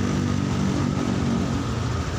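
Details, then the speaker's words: Honda Scoopy injection keyless scooter, engine still cold, after no-start traced to a bad battery: steady, even low putter with no misses or knocks; idles smoothly once running. "Masih dingin tapi ini sudah nggak ada masalah dan modelnya masih strip mode tapi yang jelas ini motornya udah bisa hidup ya"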